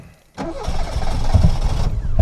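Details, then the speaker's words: Reliant Robin MK2 Anniversary Edition, held on slight throttle: brief crank, then it catches with uneven, stumbling firing, not on all four cylinders at first. Hard starting and misfiring; owner suspects timing and carburettor. "She's not firing on all four cylinders straight away. There we go, she's kicking in. So, that's something I want to address first because I'm not happy with how hard it is to fire up."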